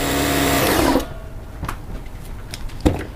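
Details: Sears Craftsman air compressor model 919.167240 after replacing the broken belt, test run before closing the covers: steady even motor-and-pump drone for about a second; runs smoothly with no belt slap or squeal.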